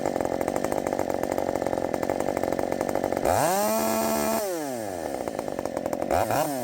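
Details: Redmax 5000 chainsaw with wide-open exhaust port muffler mod, 16-inch bar, sharpened steel RS chain, 8-pin sprocket, after self-tune: loud high buzzy two-stroke scream holds strong in the cut, drops and climbs back quickly; feels much faster, healthy.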